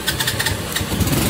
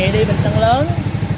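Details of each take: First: A 2018 Cub 50 uses its electric starter with a brief whir, then catches and settles into a soft, even putter. Very quiet, healthy start and idle. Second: A small single-cylinder SS50 converted to CL style, with an Alpha cylinder, idles with a quick beat and light ticking on top. It is loose valve clearance, and tightening the rockers under the two adjuster caps will quiet it.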